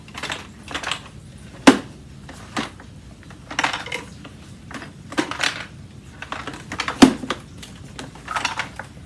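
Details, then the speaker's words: Aeros upright vacuum cleaner, model U162C, being moved during unboxing: irregular light clicks and ticks in short bursts from a loose broken plastic piece and its screw rattling inside the unit. "okay so i figured it out so basically all that rattling around inside was this plastic piece along with its screw"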